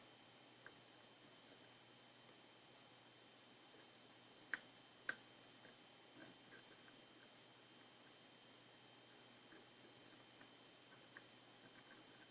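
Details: Intake manifold runner control (IMRC) valve tested after repair; two crisp clicks about half a second apart over a quiet background, the valve snapping over cleanly and actuating normally.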